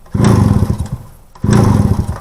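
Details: Kawasaki single-cylinder kick-start bike, slightly warm, after carburetor tuning, clutch adjustment and closing a too-wide spark plug gap: two short bursts of quick even popping fading between kicks; fires cleanly, normal running.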